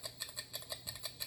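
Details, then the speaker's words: Seiko 6138 'Bullhead' watch on a timing machine after winding, before service: uneven paired ticks, about six a second, galloping beat; not overbanking, hairspring possibly stuck together, unconfirmed. "That sound of galloping, it sounds like a horse galloping, it's usually indicative of overbanking, too much amplitude. In this case, it's not the case. It could be that the hairspring's stuck together."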